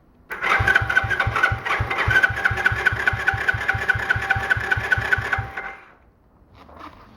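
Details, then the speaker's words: Small free ATV, fuel had been drained after sitting, choke on: steady rhythmic cranking with no firing. The spark plug wire had been left off and the plug possibly not tightened. "no you didn't put the spark plug wire on I did you took it off wait did I tighten the spark plug well that was dumb"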